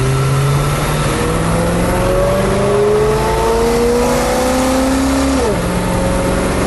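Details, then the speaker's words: 1979 International Scout II with original 345 four-barrel V8, 57,000 miles, in drive on a road test toward 60 mph: engine pitch climbs smoothly through the gears with clean shifts, no slipping or knocking; engine and transmission work well, normal acceleration. "that okay so I think the engine everything the transmission all works good"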